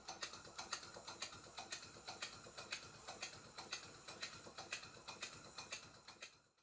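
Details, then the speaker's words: Stuart Twin Victoria miniature steam engine, kit, rebuilt and running in, after cotton was wrapped around the crank pin end as a temporary fix for tapping: soft, even ticking about twice a second with no sharp tap; normal smooth running. "this is what the engine sounds like now it has the cotton wrapped around the end of the crank pin"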